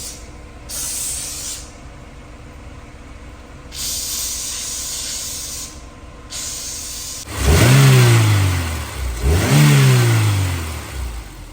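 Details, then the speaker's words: Honda S2000 after a valve adjustment and injector cleaning for a misfire, heard at the tailpipe: steady, even exhaust rush at idle, two quick blips rising and falling cleanly, no popping or gaps; normal exhaust flow. "That's what the exhaust should sound like. It should sound basically like a semi-smooth stream. It shouldn't be pop, pop, pop, pop, pop, pop."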